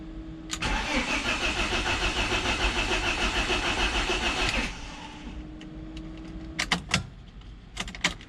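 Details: BMW Z3 engine, reassembled by a first-timer after a timing chain job, cranked with spark plugs out to build oil pressure before first start. The starter spins it about four seconds with quick, even whirring and no firing; normal priming crank.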